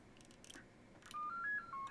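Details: Vintage 7-tone CB roger beep board, after fixing its poor original sound: clean quick run of seven stepped electronic tones rising then falling, crisp and even with no distortion; working properly.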